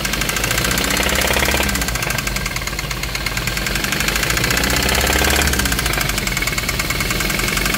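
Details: 2017 Hyundai Kona 1.6 T-GDI petrol engine at steady idle with a loud, sharp, fast ticking clatter, harsh like a diesel; cause unknown.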